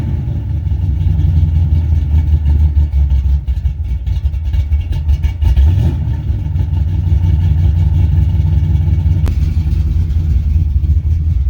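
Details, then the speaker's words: 1986 Chevy C10 350 5.7 V8, after an oil leak fix, sat a while, slightly warmed up: steady, slightly loping idle with no knocks, runs on its own; owner suspects the old carburetor needs cleaning and new plugs. "old carburetor could probably use a good cleaning and going through probably use some plugs and all in it too"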